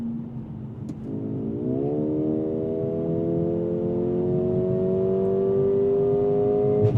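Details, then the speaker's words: 2024 Mercedes-AMG CLA35, turbocharged 2.0-liter four-cylinder, 302 hp, 8-speed dual-clutch, at wide open throttle: engine note climbs steadily, then a short dull exhaust overrun thump at each upshift; normal. "And I just giggle with anticipation for every time I get to that upshift and it just thwumps the overrun from that exhaust system."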